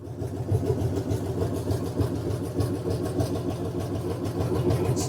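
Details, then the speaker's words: Freshly built V8 in a mud truck running after first start, oil pressure 55 and rising, cold evening: steady even burble, smooth regular pulse, no knocks or ticks; healthy and running cleanly. "sound pretty good sounds good sounds Happ pretty [ __ ] pey pretty py oil pressure go straight up oh yeah good sound good"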